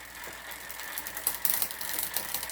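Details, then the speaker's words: Specialized Hot Rock rear derailleur with new cable and shifter: cable tension deliberately tightened while pedaling gives fast light ticking and rattle as the chain rubs toward the next larger cog and wants to jump to third gear. Cable too tight; then backed off. "I'm going to tighten it some more until it starts making noise again like how it was doing before"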